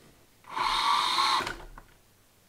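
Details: ISDT ESC70 with active drag brake stepped back down to setting 3 after a higher setting caused motor flutter (too strong): about a second of clean, steady high-pitched motor whine, starting and stopping evenly. No flutter.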